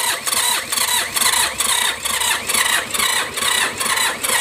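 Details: Mitsubishi K3E diesel in MT18 tractor before piston and ring replacement: slow, labored cranking at about two pulses per second that never catches; hard starting from low compression due to worn piston and rings.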